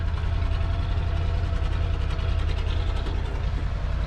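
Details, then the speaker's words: 302 V8 truck after carburetor tuning with a vacuum gauge to about 15-16 inHg, fixing a worsening bog; previously sounded like many vacuum lines were off: steady, even low idle with no misses, knocks or hissing; smooth normal idle. "there good bit of tuning I've got it around 15 to 16. vacuuming whatever thank you for lacking it's running pretty smooth sounding pretty good"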